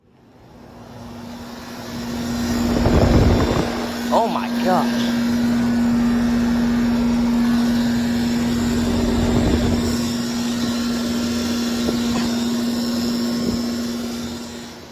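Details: 2007 Trane 4-ton outdoor AC unit, old and failing: loud steady low buzz over condenser fan rush, then abrupt cut-off; owner suspects the electrical panel, not confirmed; abnormal electrical buzzing.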